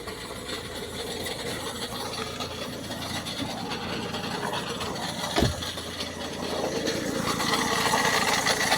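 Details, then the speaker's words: 2009 Ford Focus MK2 1.6 TDCi diesel idling with a steady clatter and loose rattle; owner suspects an engine mount, no fault codes, no oil-water mixing, normal consumption, drives normally, noise quieter at higher speed. "ist das das Motorlager oder so wahrscheinlich was so am klappern ist weil ich habe keinerlei Fehlermeldung"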